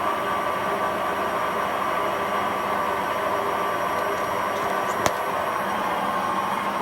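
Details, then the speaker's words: Hotpoint Aquarius Extra WMA40 washing machine on a 60 wash test, spinning up with an unbalanced load: steady hollow roar and droning hum, bearings clearly audible but coping; worn drum bearing. "you can definitely hear the bearings but it's handling it okay"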